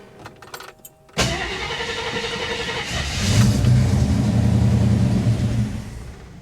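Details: 1967 AMC Ambassador after fuel system repair: cranks and catches, runs rough, picks up with a rev, then sags and dies out; it won't keep running, suspected fuel supply problem.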